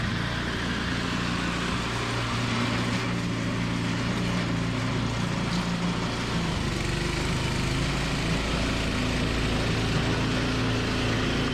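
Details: Toro 521 snowblower started after replacing a blown drive belt; new belt nice and tight. Steady, even single-cylinder drone with no knocks, squeals or hunting; runs clean and healthy after repair.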